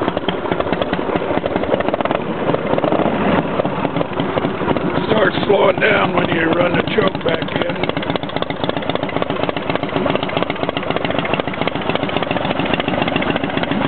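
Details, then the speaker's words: Motorcycle on first start after a rebuild, cold with choke on: quick, even firing pulses at a brisk cold idle with no knocks, misses or oil leaks; normal cold idle. "well it sounds pretty good yeah we don't have any oil or anything rning out so that's a good sign still a little cold"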